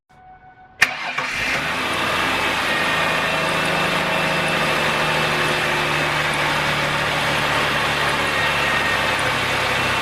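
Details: 2002 Ford Taurus 3.0 V6 after replacing the faulty cylinder 3 fuel injector (P0303 misfire): cranks briefly, catches, settles into a steady even idle with no stumble or misfire; engine sounds healthy.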